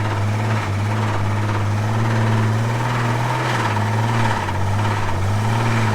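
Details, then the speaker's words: Old Ford engine deliberately filled with sand and water: low idle note wavers and sags every few seconds, stumbling and trying to die; rough idle from sand and water contamination. "knock to it now. There we go. Oh yeah. It's trying to die."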